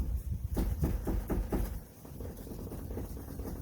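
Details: 2013 Subaru Crosstrek, 63,000-odd miles, front wheel rocked side to side with ignition locked: quick run of dull knocks with about 1/4 inch play from a worn inner tie rod; rattle heard driving, worsening.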